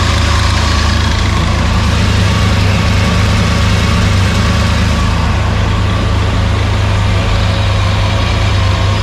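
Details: Freshly rebuilt Maliboom engine at first fire, oil pressure up, running through mufflers: deep steady rumble with an even firing beat, no knocks or ticks; smooth, healthy idle.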